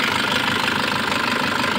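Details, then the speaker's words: Nissan Patrol ZD30 diesel, long unused, low compression, at normal temperature after about an hour of idling, some blue smoke: quick light metallic rattle over the idle clatter, a noisy timing chain that is not yet severe. "Kasi nga matagal na hindi umandar to tapos yung timing chain medyo maingay na yung timing"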